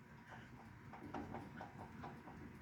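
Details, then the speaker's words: 1980s MTD garden tractor, 18.5 hp Briggs & Stratton, oil recently changed, engine turned slowly by hand: faint clicks about four to five per second; owner wonders if it is rod knock, cause unclear. "listen closely when i turn this if i can you guys see that hear that click click click when i turn this"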